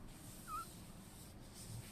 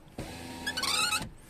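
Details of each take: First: Tesla Model 3 power window after silicone lubricant applied to the glass seal: smooth steady motor hum, no longer squeaking against the seal (squeaked when raining). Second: Tesla Model 3 rear power window: motor hums, then a high, wavering squeak partway through glass travel from dry window seal friction, squeaks in rain; fixed by applying silicone lubricant to the seal.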